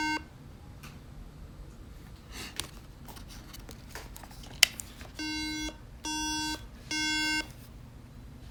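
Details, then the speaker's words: 2011 MacBook Air 13-inch (A1369) at power-on: three short, even electronic beeps about a second apart with no boot chime; three-beep RAM error code, repaired by CPU BGA rework. "This MacBook Air has a RAM problem. (A1369 MBA 13-inch) Beeps 3times. This means the system RAM is bad."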